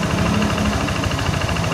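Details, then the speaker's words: Yamaha NMAX (ISC-sensor injected scooter) that revved up by itself, after a hose fix on the idle control: after about a minute warm it holds a steady, even idle with no hunting or surging; high-mileage engine is somewhat noisy; normal idle. "Ini kita udah nunggu kurang lebih hampir semenit, dan posisi gasnya udah stabil."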